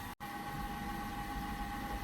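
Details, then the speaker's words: eMachines eTower 266 PC from 1998–1999 at power-on: steady high constant whine over airy rush, fan sounds awful; unclear whether the power supply fan or the CPU fan, later thought to be the CPU fan. "I think that fan sounds awful though I don't know if it's the uh power supply fan or the CPU fan"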